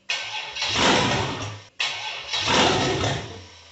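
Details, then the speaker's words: Cammed 6.0 LS in a 1978 El Camino, first fire-up after rebuild, timing untrusted: V8 catches and rumbles up with throttle twice, then fades and dies; fires but won't stay running, suspected not enough air because of the cam. "Probably just not getting enough air because of the cam."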